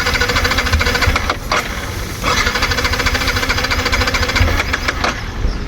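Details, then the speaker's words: Yamaha MT-15 that had not started for a long time: the starter motor turns with a fast, uneven chatter but the engine never fires, with light smoke from the silencer. Crank, no start. "Motor மட்டும்தான் ஓடுது engine start ஆக முடியல"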